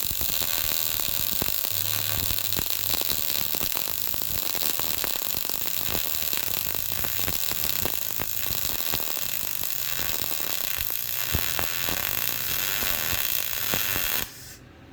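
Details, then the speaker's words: YesWelder MIG-205DS dual-voltage multiprocess welder, MIG, voltage trimmed from +10 to -5 at same amperage: steady fast crackle, softer and more even, with fine sputtering; sounded better but fine spatter everywhere, technique less smooth than on the +10 side. "Okay, so it sounded better, but look at all the spatter I got everywhere. It's much finer than the other side, and I'd say my technique wasn't nearly as smooth either as the other side."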